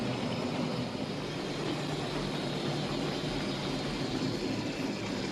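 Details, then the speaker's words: Lima OO-gauge class 73 model locomotive just after a full service, running slowly on track; steady, even rushing run with no catches, surges or rattles; smooth slow running expected to improve as oil and grease work in; normal running. "first of all how's that for slow running not bad for lemur and that will only get better as the oil and the grease work in"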